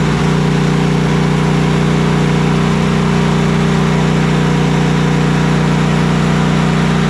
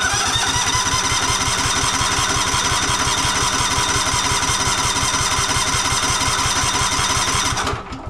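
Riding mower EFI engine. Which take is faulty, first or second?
second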